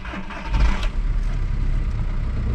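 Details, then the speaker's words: Junkyard VW MK4 Golf TDI diesel wagon, battery-started for inspection: quick crank, catches at once into even clattering idle, healthy cold start with no smoke; only known fault a loose tensioner. "on nicely you see it taken I mean it sounds healthy I don't see any like big fella no smoke back here either"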